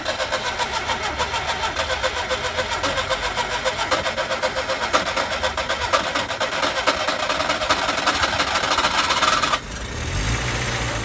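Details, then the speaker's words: Skoda Favorit Forum, dormant since 2001 with old fuel still in the tank, fitted with a borrowed distributor cap, rotor arm, HT leads and plugs: needs full throttle to start, runs at about 2,000–3,000 rpm on half throttle, but lumpy, sagging idle dies off-throttle. Unstable idle. "so it starts you need full throttle to start it and then it'll stay on if you're on about half throttle you you know keep it about two or three thousand revs it stays on fine um when you let go and let it idle with it doesn't really want to sit there yet"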